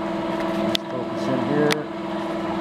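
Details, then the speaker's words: Pulse motor driving a 3-phase generator after replacing a bad bearing and swapping the heavy steel drive shaft for aluminum; draw about half an amp less, just under 4 amps, 46.5 duty cycle; steady even hum without bearing rumble: normal running. "And got rid of that bad bearing. You can hear a difference in it already. It's still got a big break in some, but we're drawing about a half amp less."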